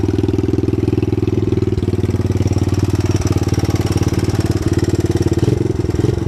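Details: 1983 Honda Big Red ATC200e, 200cc four-stroke, idle set high, ridden on a lawn: steady low thumping engine pulse over a gritty scraping rhythm. The drive chain is rubbing the skid plate, and a new chain and sprocket are needed.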